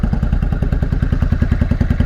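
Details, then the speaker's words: Honda Shadow 500 V-twin, first start after about four years in pieces, fuel leaking: slow heavy thumping with empty gaps between beats; only the front cylinder fires, the rear is dead. Running on one cylinder. "We're only running on the front one. Why? Well, it's running. That's something."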